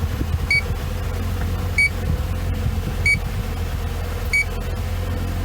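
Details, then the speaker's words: BMW R50 MINI A/C: a leak detector passed slowly over the top vent gives short high beeps about every 1.3 seconds over background hum, faintly detecting a very slow refrigerant leak at the evaporator core or expansion valve. "what we're going to do is we're going to turn on our leak detector and we're gonna very slowly play it over and you can hear it or top vent [Music] and there's a very slow leak"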